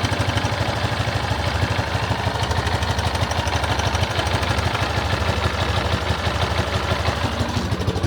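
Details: Yamaha XTZ 250 Lander motorcycle engine making a strange noise, owner asking what it is; the single thumps along at about three beats a second with an extra clattery tap in each beat, source still unclear.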